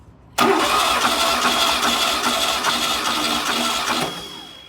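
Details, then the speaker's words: Freshly rebuilt VW Type 1 1776cc flat-four cranked on the bench for a compression test: starter cranks at about 2.5 beats a second with even pulses. Cylinders read about 150, pretty equal across the board; normal. "yep pretty equal across the board"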